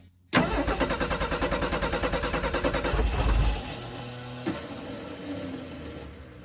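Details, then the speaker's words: 1984 Ford F250 recovered from flood, on jump box with carburettor bowls run empty and gas cut off: even cranking roughly three beats a second for about three seconds, winding down without firing; no fuel to carb. "if in fact uh the the battery starts to draw down inside the jump box there's no gas in the carb so it shouldn't start"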